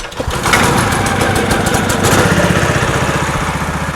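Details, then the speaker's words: 1970s PUG UTV small engine started cold on choke. It catches on the first pull and putters slightly unevenly at about four beats a second; it still needs to warm up. "ah it needs to warm up a little bit it literally started first pull that's impressive"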